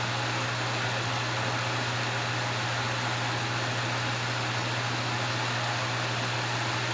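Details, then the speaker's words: Vintage Wizard hassock fan with a motor transplanted from a Mainstays box fan, on high speed. Steady even whoosh of air with a low mains hum, no rattle or vibration; running smoothly and quietly. "Okay, it's putting out a really good breeze. It's very quiet. There's no vibration, which is a good thing."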